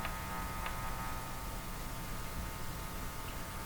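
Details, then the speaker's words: Hallicrafters TW2000 communications receiver after a capacitor change: a low steady buzz under faint hiss with small ticks, mains hum pickup from a poorly shielded capacitor; maximizing its shielding helps. "I know why they use shielded capacitors in these positions now. It's quite obvious."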